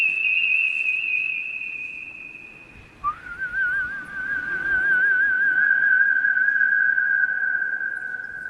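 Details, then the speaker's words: Racecar rewired from scratch while keeping the factory headlight harness: a steady high whistle from the starter that drops and warbles once the headlights come on; cause unknown, a different starter considered. "It's Whistling Dixie. The starter is, yeah, Whistling Dixie when the headlights are on."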